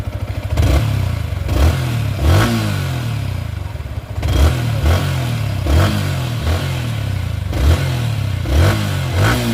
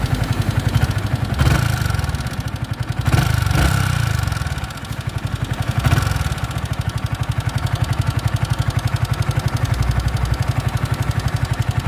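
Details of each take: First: Yamaha R15 V3 after repair of a "tik tik" valvetrain ticking complaint: crisp throttle blips rising and falling cleanly with no tapping, and the engine now runs quietly. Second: Yamaha R15 V3 motorcycle idling with a light, quick ticking over the low engine note plus a few brief blips; loose rockers suspected, to be checked first, not confirmed.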